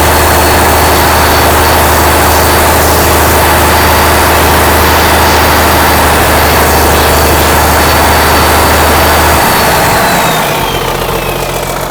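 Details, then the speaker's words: 1963 Mack F600 diesel truck just after start-up: deep steady idle rumble with a clear high turbo whistle over it that drops away near the end; running healthy. "but you know she's happy there so yeah beautiful absolutely magnificent hear that turbo whistle"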